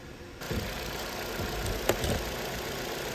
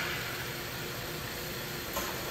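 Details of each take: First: Vauxhall Astra after fixing P0171 lean code by replacing the rocker/valve cover with its integrated PCV valve (vacuum leak): quiet, even idle with steady low hum, no hunting or hissing; fuel trims corrected, normal idle. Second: Vauxhall Astra with EML on, code P0171 system too lean, fuel trims high: steady airy hiss at idle, massive vacuum at dipstick and oil filler cap; suspected failed PCV valve integrated in valve cover, needing new cover.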